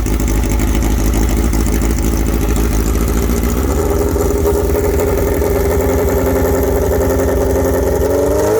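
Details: Suzuki Bandit/GS1100E four-cylinder with new Mikuni RS36 carburetors and open straight header, first startup: loud bark climbing unevenly in pitch, lumpy and hesitant, shooting flames; air-fuel mixture off, carbs need tuning.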